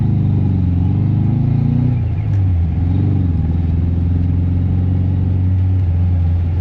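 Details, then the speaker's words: MK1 Mazda MX5 after a new header and downpipe: a steady engine drone with an uneven, rattly, burbling beat and exhaust pops. It still misfires, and the owner suspects an air leak at the rocker cover gaskets. Cause unconfirmed. "I think it's still got a bit of a misfire. It doesn't sound right. No, it doesn't sound right. It sounds very rattly as well. Yeah, I think that's the misfire. The rattly sound is the misfire, I reckon."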